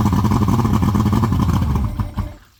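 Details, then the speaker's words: Evinrude 150HP two-stroke outboard on a 1997 Sunbird boat, after 20+ years sitting, fuel and oil injection bulbs and lines replaced: lumpy uneven burble about two seconds, then sputters and dies; engine stalls after starting. "well Houston we have a problem it's actually a few days later from when I filmed the original content that you've been watching so far if you've stuck around this long I appreciate it anyway we can't keep the motor running or we can't get the motor to stay running"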